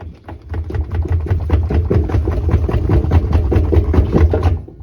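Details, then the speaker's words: Samsung front-loader washing machine, drum rocked by hand: irregular dull clunks about two a second from excessive drum movement; spider bracket broken, drum rubbed and melted the rubber, machine not worth saving. "so the spider bracket is shot on this thing and this machine is not worth saving"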